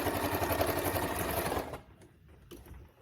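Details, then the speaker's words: Freshly serviced Singer 2282 Tradition sewing machine sewing thick dense synthetic layers at fast speed: even stitching rhythm without labouring, then a clean stop; sounds effortless, runs smoothly. "Sounded effortless."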